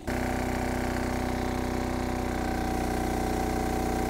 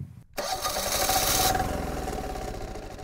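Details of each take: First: MEP-531A/501A military diesel generator after priming the fuel system, loaded to about 75% with a heat gun on 110 V: even, steady drone with little or no stuttering or surging; air purged and running properly. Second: MEP-531A military generator diesel, cranked after priming the fuel system: catches with a sharp burst then an uneven, faltering, stuttering beat because air remains in the injection lines; it then stalls.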